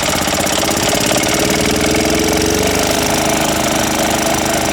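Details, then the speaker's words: Older Yamaha golf cart engine after no-spark repair and full fuel system overhaul, fuel now reaching carburetor, on choke: loud, steady, fast single-cylinder chatter, evenly paced with no stumbles; normal running. "It'll take it a minute, so let's see what we got. Here it comes. Let me give it a little choke if I can get to it."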